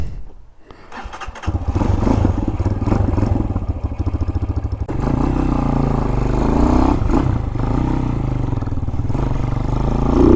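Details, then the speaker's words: 2023 Hawk-X 250 single, stock PZ30 carb modified (tamper parts removed, mixture out 2 1/4 turns, 110 main jet, stock pilot), starting before warm-up: fires on the first try and thumps along at an even, steady idle that picks up cleanly; runs healthily, better than stock. "Sounds good. Feels good. Feels alright. Definitely better than stock."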